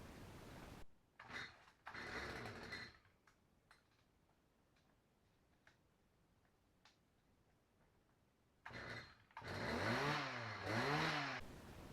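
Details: Tiller with a hard-starting problem traced to something, likely bent, stopping the choke closing fully: after handling noise, the small engine catches with the choke pushed full on, revs unevenly for a couple of seconds, then keeps running normally.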